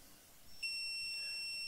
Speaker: i've shortened it for convenience this technically means that the device has failed its first transmission